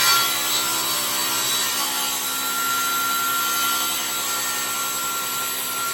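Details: Used SawStop table saw from Craigslist, repeat cut after blade-height issue on the first try: steady motor hum, blade cutting evenly through the board, no squeal, chatter or bogging; cutting cleanly.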